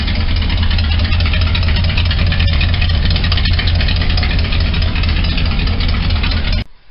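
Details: Truck that won't restart when warm after a short park, with fuel smell while cranking (owner suspects flooding, doubts vapor lock). After extended cranking it runs with a heavy, deep idle and faintly uneven stumbling beat, a suspected slight misfire. Plug wires, coil, cap and rotor ordered.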